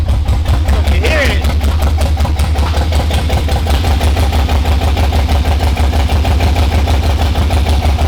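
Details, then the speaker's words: Nissan R32 GTR with LS swap, new wiring harness and new spark plugs, first start: rough, lumpy idle with an uneven stumbling beat instead of a smooth V8 burble, not firing on all cylinders; suspected injectors stuck from sitting. "it so you heard it it starts it runs but it does not sound like but it doesn't sound like how it's supposed to sound it's not firing"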